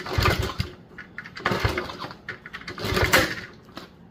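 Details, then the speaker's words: 1977 Honda CT70 sitting 20 years, compression test while kicking over with no spark: strong firm chuff about every second and a half with solid resistance; healthy compression, about 180. "Oh man, it's really good compression. Jeez. About 180. Nice."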